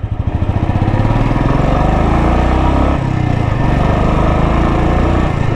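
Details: Royal Enfield BS4 single-cylinder motorcycle restarted after a fix for its pickup problem: the thump revs up cleanly and holds a strong, even beat without stumbling, so pickup is restored and it runs healthy.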